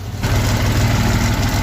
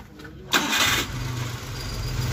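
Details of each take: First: Daihatsu Hijet 1000 petrol engine at idle, a light quick ticking over the low rumble, traced to valve clearance set too wide; fixed by adjusting the valves. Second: Daihatsu Hijet 1000 three-cylinder after valve adjustment (about 0.10 intake, 0.15 exhaust), previously ticking from too-wide clearance: starts instantly and settles into a smooth, even idle with no valvetrain ticking; normal idle.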